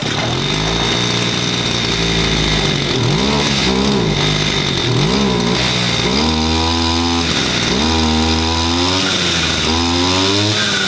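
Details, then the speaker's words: Stihl FS86 brush cutter after repair for bad rings, with the carburettor reset to factory settings and idle raised three turns: the two-stroke buzzes steadily and revs up and drops back cleanly without bogging, running healthy. "All right, we got it fired up. That's what my issue was is I could not get this started and it's because my rings were bad."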